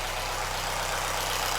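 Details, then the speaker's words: Mazda Miata engine after extensive work, timing set at 10 degrees, fresh 91 fuel mixed with year-old gas, no exhaust or intake fitted; steady idle but harsh, clattery, diesel-like rattle up top; cause unclear, rough clattery idle. "but i think this is running the way it's supposed to sounds terrible but maybe we can work on that oh it really sounds like a diesel engine"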